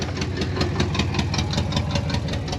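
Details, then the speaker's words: HammerHead 250cc go-kart, single-cylinder engine, started after sitting and battery charging: steady even idle with a light tick about five times a second, no misses or stumbles; runs normally. "it idles [Music] okay another one that's taking a little time"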